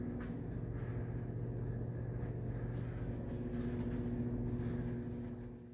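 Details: Steady low electrical hum with a faint buzzy edge from light fixtures, heard throughout a Hampton Inn hotel's halls and rooms; front desk calls it standard.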